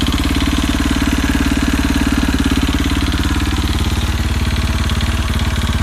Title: KTM RFS knocking sound